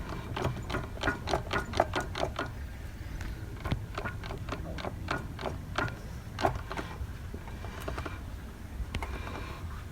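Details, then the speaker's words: 2008 Vauxhall Vectra C SRI 1.8 petrol, F17 gearbox removed. Irregular sharp clicks and knocks in bursts as the driveshaft is worked by hand; offside (driver's) inner CV joint worst, with noticeable play; outer CVs solid. "so yeah so by the sounds of it i think it's it well this side's the worst side the uh the offside the driver's side in a cv boot seems to be quite loud and it has quite a bit of play in it"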